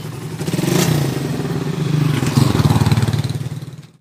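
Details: Raider 150 single-cylinder motorcycle, previously very noisy engine, after fix with no parts replaced: even quick beat steady through a light rev, then fading as the bike rides off; now running smoothly.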